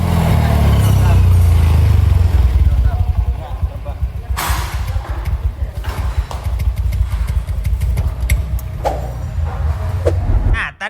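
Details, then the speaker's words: Honda Scoopy scooter runs with an uneven, lumpy beat and dies as soon as the throttle closes, so it won't hold idle; the cause was a dirty throttle body and a worn-out spark plug. "lu lihat ya ketika motornya enggak digas itu motornya mati. Nah, itu namanya langsam medad. Nah, motornya ini enggak mau langsam medad."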